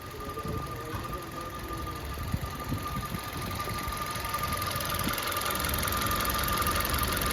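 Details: Maruti Baleno petrol, 52,639 km: steady thin, constant-pitch whine at idle from the engine after start-up, clearly heard inside the car when quiet. A full check traced it to the water pump, and the water pump was replaced.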